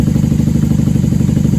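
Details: 1994 Honda Magna 750 VF750C warming up on choke after fuel line repair, airbox removed, unbaffled factory pipes: fast, even, loud throbbing at steady high choke idle, no misses or knocks; normal idle.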